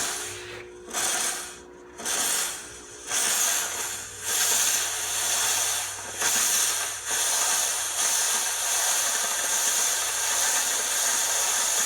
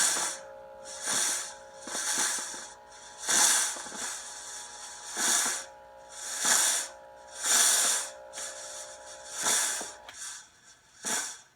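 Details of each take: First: Oreck floor steamer after its handle fell over: pulsing steam hiss over a low pump hum that keeps running without cutting out, as the handle trigger switch cannot shut it off; the switch had fallen out of its mount. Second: Oreck floor steamer, after the internal wiring was re-tucked to fix it not stopping: bursts of steam hiss over a light pump hum, then the pump shuts off cleanly, so it now operates normally.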